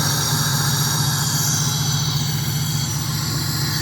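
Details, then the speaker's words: 1997 Pontiac Trans Am LT1 V8 after replacing the original PCV valve: steady, even idle with smooth low rumble and no stumbles; previous rough idle about 75% gone, throttle no longer cuts out. "I've got a way smoother idle. You can probably hear how smooth it is."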